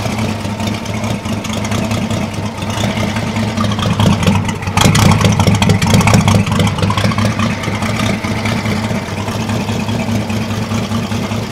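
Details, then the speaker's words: Holden 202 petrol six in a converted Caterpillar D2, first run in about 12 years on two-stroke-mixed fuel: loud, uneven, lumpy idle pulsing about twice a second, with black smoke as the lifters pump up. Owner suspects the carb needle and seat are stuck open, flooding it rich. "got a bit of black smoke there she's a bit FY but all the lifters are starting to charge and fls going out of her I think the noodle and seats stuck open a bit it's flooding The Bu re"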